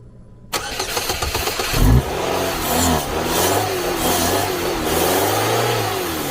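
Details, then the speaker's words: Car with suspected fuel-line problem after battery replacement didn't fix no-start: engine catches after a quiet gap, revs roughly and runs unevenly; diagnosed fuel pump not pumping fuel. "好了，油泵的事儿，不泵油了"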